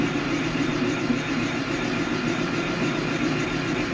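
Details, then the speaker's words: Boring cut on 1889 G&E shaper bushing with long (about 2.5 inch) boring bar flexing under the cut; steady rough buzz with faint ringing — boring bar chatter. "bending that, the cut is bending that tool. Kind of hear the chatter."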